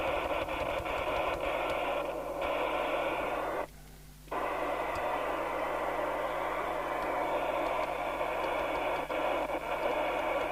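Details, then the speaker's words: York JCB861 UK FM CB radio after PLL electrolytic capacitor repair and realignment, internal speaker test on air: steady hiss of open-channel reception with faint signal bursts and one brief dropout; receiver working normally. "this is where we find out whether the internal speaker works well it sounds like it does but until we hear something on it that means nothing"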